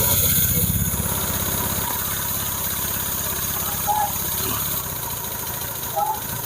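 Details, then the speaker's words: Honda Vario 150 scooter during engine rebuild, idle screw set two to two-and-a-half turns, suspected past coolant loss: uneven wandering idle rising and sagging; unstable idle, smoke from oil dripped on exhaust. "Hah suara P Iya hsamnya tidak stabil Bos Coba dek"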